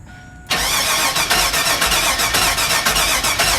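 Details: 2001 Chevy Suburban cranking during fuel pump power and ground tests: strong, even cranking at about four compression beats a second with no firing; crank no-start from a failed fuel pump.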